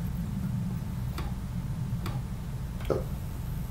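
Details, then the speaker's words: Samsung SE-208 portable USB DVD writer, defective out of the box, not a USB power issue: faint ticks about once a second over a low hum as it keeps trying but fails to read a disc, light blinking. "this guy is still blinking and you can feel it and hear it making noises as it tries to read but will not successfully read it whatsoever"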